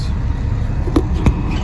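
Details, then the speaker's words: 1988 International/Thomas school bus diesel, sat in a junkyard for years, after freeing the stuck governor; builds air pressure to 120 psi: steady low rumble running evenly without misfires, with a few clunks; normal running. "the good news is you know we got the governor freed up and she built air pressure she runs great fires right up"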